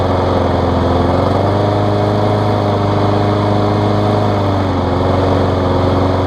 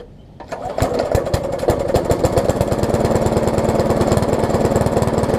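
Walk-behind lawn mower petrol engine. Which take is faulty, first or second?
second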